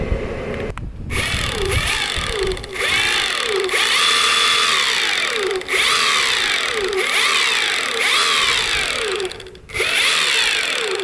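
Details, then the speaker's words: Evolve Carbon GT electric skateboard, 2 years old, out of warranty: whine rising and falling with each push over a rough gear edge; owner says probably not the motor but the drive gear, whose grub screw has loosened and allows movement. "it's not probably the motor it's it's like a the drive gear on it has a little grub screw it goes into it doesn't hold it quite well cause it's been bit of movement over time and that's the thing that makes that noise"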